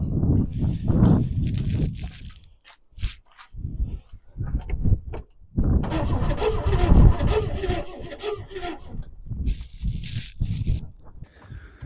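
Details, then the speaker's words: 1964 Chevelle Malibu 230 inline-six, unrun for 34 years, cranked with a spark tester grounded to metal: repeated cranking bursts at about four turns a second, never firing, and no spark seen. Owner suspects the coil-to-distributor wiring. "Well, all righty. The fact that you didn't see any spark means it's clearly not getting any spark."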